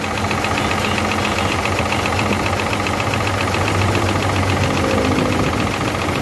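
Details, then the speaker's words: Hino J08C truck diesel that overheated, injector cutout test. Rough, uneven idle stays the same as the cylinder 1 and 2 injector pipes are cracked open. Those cylinders are not firing, so they are dead. "You can see that both the pipes are delaying and the engine is not making any difference. Can understand that there is a fault in both of these Both these pistons are not working at all"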